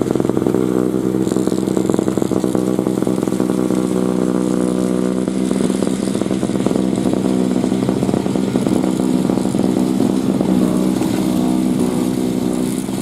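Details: 2003 Murray single-stage two-stroke snowblower, sat 5 years, revved clearing snow: busy, even buzz holding steady speed the whole stretch without missing. Healthy running under load.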